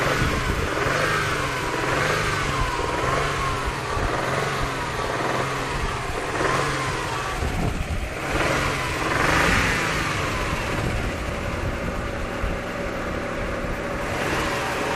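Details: Subaru WRX flat-four petrol engine idling and revving with a rough tapping knock over the engine note; owner suspects piston slap or bearing, cause not confirmed; engine knocking or tapping noise.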